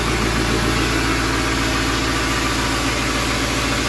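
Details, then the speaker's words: 7.3L Powerstroke turbo diesel (Navistar T444E), 372,000 miles, first start in about two years; loud even clatter at steady cold idle, no misses or knocks, exhaust back pressure valve working; normal cold idle. "sounds like the exhaust back pressure valve works"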